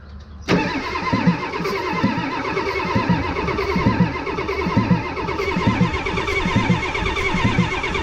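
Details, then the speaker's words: 1989 Ford F250 7.3 IDI diesel, first start attempt after fuel filter and line replacement: starter cranks freely with slow, even compression pulses but never fires; owner bleeding air out through Schrader valve. "we're gonna just keep leaving the air out through this here Schrader valve comes out we didn't get nowhere let's try again"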